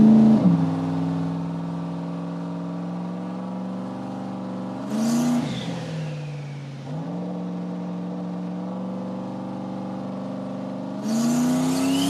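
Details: Turbo LS V8 Mustang on dyno, wastegate pull with 5 psi on the dome, to 6,200 rpm: pitch climbs smoothly, air rush between pulls, gate stays shut, converter working, no flutter or misfire; normal turbo pull.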